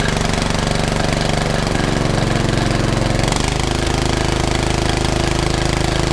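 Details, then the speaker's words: Predator 420cc 13hp single-cylinder engine fitted in a golf cart, after carb cleaning, exhaust upgrade and new flange bolts: steady even thump with a brief speed change, no knocks or misses; running pretty good, normal running. "all right that's running pretty good I'm just gonna top it off with some more gas just gonna put the cover"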